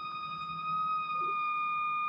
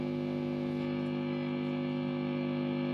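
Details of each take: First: Mesa/Boogie Mark IIC+ Reissue on a variac at about 100 V, master at zero: steady piercing whistle at one pitch heard from the preamp itself, not the speakers; oscillation caused by reverb cables routed too close to the tubes. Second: Mesa/Boogie Mark IIC+ reissue amp on a variac at about 100 V, Softtech 7025 preamp and 6L6GC power tubes: steady even hum with gain, volume and treble at max, no squeal or howl; no oscillation, the amp is stable.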